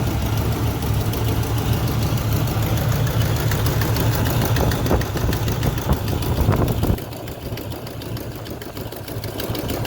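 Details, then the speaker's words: 1972 Chevrolet Nova SS clone with a built 355 crate V8 (about 3,000–4,000 miles), idling and heard under the hood: steady idle with a fast, sharp tick about three per second from a noticeable exhaust header leak; new gaskets included. "Next, when we're under the hood, listen for that exhaust header leak I was telling you about. Like I said, the car does include new gaskets if you want to replace those. It's pretty noticeable, so I would."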